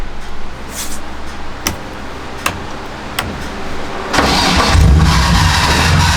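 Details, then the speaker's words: 1JZ VVT-i engine being swapped into a BMW E36 drift car, hot-wired after the ignition broke: slow uneven cranking ticks, then the engine catches with starter drag lingering into the run-up, a starter that sticks and hangs on after start. "I still have sticky starter in if you can hear that like the starter sticks it's weird"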